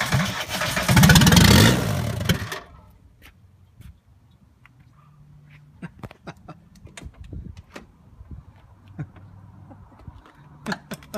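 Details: 1985 VW Golf diesel with a no-start problem: about two seconds of fast starter cranking with no firing, then cranking stops and only faint clicks remain. It cranks but won't start.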